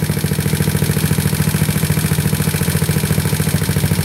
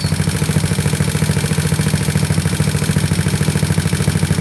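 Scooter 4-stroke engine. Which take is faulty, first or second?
second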